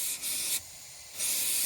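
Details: Front tire on a Dodge Caravan minivan being inflated from air compressor: sharp steady air hiss in bursts, stopping and restarting with the air line; air escaping at tire, owner suspects missing valve; leak noise later fades.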